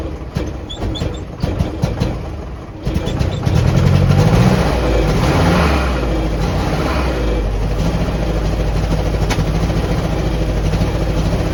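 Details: 1949 Jeep CJ3A, hard to start after sitting since last fall despite new coil, points, rotor, distributor cap, clean plugs, fresh fuel and two-year-old carb; cranks with uneven chuffs, catches and revs, then lumpy irregular idle; rough running, cause unclear, owner suspects points or stuck valve.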